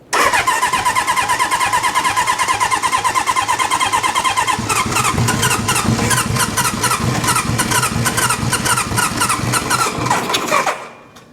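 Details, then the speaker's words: Restored 1972 Honda CB750 Four, choke on, fuel on, tank just set on: steady starter cranking about two beats a second for ten seconds, never fires. No spitting or exhaust popping, so carburetors are suspected. "Well, it's not spitting anything back out of the carburetors. It is not popping out of the exhaust. I think it might be carburetor issues."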